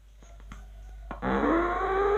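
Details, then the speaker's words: Old 20-inch Polytron CRT TV at switch-on: faint clicks then rough wavering growling, farting sound from the speaker, lasting up to five minutes in the morning before audio normalises, picture normal; audio supply capacitors failing. "kalau pertama dihidupkan ada bunyi kentut ya Ada suara ngorok dan kentut katanya"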